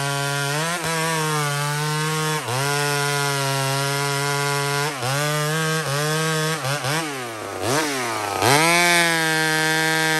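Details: Small Homelite two-stroke chainsaw on a stock chain cutting maple: a strong high-pitched scream that dips briefly as the chain bites and recovers cleanly each time. Normal cutting under load.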